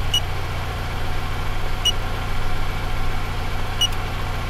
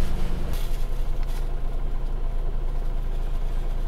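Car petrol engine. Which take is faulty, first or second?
first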